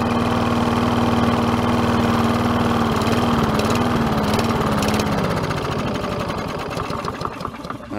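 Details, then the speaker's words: Neglected Troy-Bilt TB110 mower, 140cc 550-series engine, overfilled oil, poor air filter, missing air cleaner cover: low single-cylinder drone that sags and dies within seconds; owner suspects carburetor needs cleaning. "it for a brief second they'll fire and then I'll shut off which means a carburetor clean"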